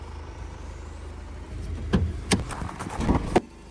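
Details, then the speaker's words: Mercedes-Benz GLC 220d 4MATIC, first registered July 2020, 2.0 turbodiesel 143 kW, 9G-Tronic automatic, 249,000 km: starts instantly, quiet, even low diesel idle holding steady, a few clunks from nearby handling; normal diesel idle. "двіжок запускається з півоберта впевнено тримає оберти працює тихо і стабільно"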